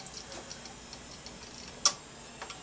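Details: HP Pavilion Media Center M376 PC (about 2003) with a WD hard drive, after its circuit board was swapped from another drive: quiet, sharp ticks about every quarter second with one louder click. Click of death, no boot; board swap did not fix it.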